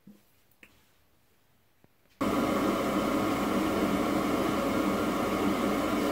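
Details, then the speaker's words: High-efficiency gas furnace inducer motor running; few clicks then steady even whoosh with no squeal, drawing about 2.7 A against 2.8 A full-load rating on 120 V. "so it looks like we're drawing just a little over two and a half amps about 2.7 amps that motor if we look at the side of it full load amps is 2.8 so if we're drawing 2.7 I'd say we're doing pretty good"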